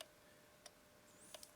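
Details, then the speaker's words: Mitsubishi LT-5V linear-tracking vertical turntable running; quiet sharp ticks, a couple per revolution, over a near-silent motor, caused by loose spring-loaded parts in the record clamp puck, since clicking stops with the puck removed. "and when you start it up it makes a clicking sound but this goes round with the record and it's only got a spring inside let's just start it up some clicking as it rotates"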